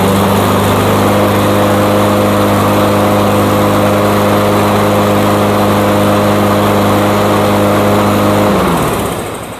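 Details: Cub Cadet mower after the blade was sharpened, balanced, reattached and torqued to cure shaking: even, steady engine drone with no shake or wobble, then a clean wind-down at shutoff. Normal running.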